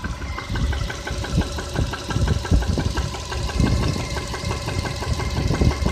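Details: Subaru Outback EJ251, 5,000 km after an engine rebuild, Liqui Moly 5W-30, normal break-in: steady idle with a dull, regular bottom-end knock that quiets slightly when warm; cause unknown.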